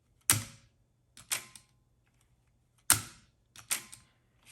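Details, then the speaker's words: Floppy drive from an original 1984 Macintosh after its loading mechanism was lubricated: a single crisp clunk as the disk goes straight down, then a few quick clicks with no dragging or hesitation, a normal disk load. "And so now, when you put a disk in, this is what a lubricated drive should sound like. See that? Makes a nice clunk, and the disk goes down immediately."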